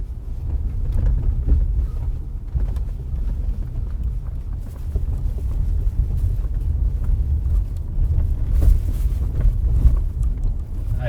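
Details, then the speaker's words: 2018 Honda Accord 2.0 turbo, recorded from inside while driving after repair. Steady low road rumble with only faint trim and seat creaks; the underbody rattle from loose pebbles in the lower drivetrain protection panels is gone. "mas aquele barulinho específico que incomodava bastante o cliente não temos mais"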